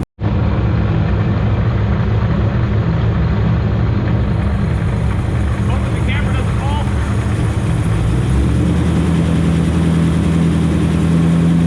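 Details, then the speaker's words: Supercharged Corvette V8, hot, with a misfire under investigation, held at the fast-idle rpm where the tick is most audible. A light rapid ticking rides over the low engine drone; owner suspects a lifter tick, not yet confirmed. "I just found the right RPM that you can hear the lifter tick, so I'm gonna prompt you guys right here and hold the RPM, so hopefully you can hear the tick."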